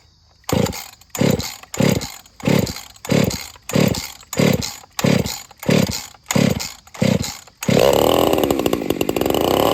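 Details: 50cc racing two-stroke chainsaw after port work with enlarged crankcase volume and a timing advance test, clutch and chain not yet done: about ten sharp throttle blips a second apart, then a sustained screaming run, crisp and pulling hard; normal high-rev running.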